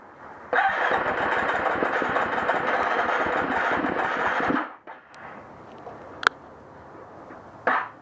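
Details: Hard-starting 350 XCF engine: four seconds of labored cranking that never catches, then weak sputters and dies; cause unknown.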